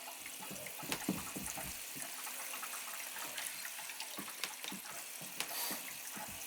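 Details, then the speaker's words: Gas boiler hydronic zone purge, water throttled on and off to avoid blowing relief valve: water rushing from hose with irregular spits and gurgles as trapped air blows through. "yeah I can feel I can feel the air coming I feel the air coming now got to get that air out or it's going to be a problem"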